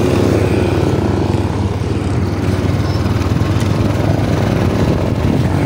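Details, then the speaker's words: Yamaha Aerox 155 road test after repair: steady engine drone and road rumble, no grinding or growl; the rear noise was a failed bearing near the swing arm, now replaced and quiet. "So nawala na yung kanyang ingay. Smoke na. mga sa smooth na siya so hindi na maingay Eh so good mga ideas."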